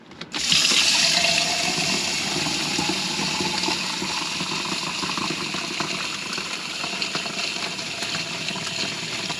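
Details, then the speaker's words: New replacement fresh water pump in a Hymer MLT 580 motorhome, replacing unreliable low-pressure Reich pump: strong steady flow filling 500 mL in 12 seconds, about twice as fast as before, no sputtering. "well that's 12 seconds there so that is probably twice as fast as it was Happy Days"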